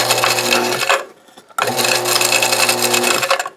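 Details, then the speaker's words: Failed camp submersible pump, owner suspects a lightning strike, pressure switch bypassed with wood about 10 years ago, run plugged in out of water: two bursts of motor whine with a harsh, uneven rattle and grind. Sounds like a rock inside. "sounds like there's a rock in there, but we won't pay no never mind to that."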